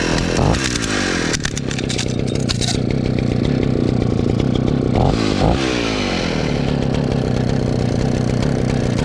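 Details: About 60-year-old Husqvarna 65 chainsaw: crisp two-stroke buzz that picks up cleanly on throttle blips and settles back evenly; a clanking noise was also noticed, but no cause was found on the chain side.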